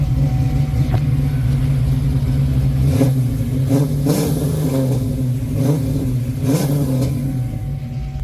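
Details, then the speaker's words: 1995 Mustang Cobra SN95 with 331 stroker and old Flowmaster exhausts, revived after sitting; deep, even burble climbing cleanly through several throttle blips, no knocks or misses, healthy. "got them old school Flow Masters on it. That sounds good."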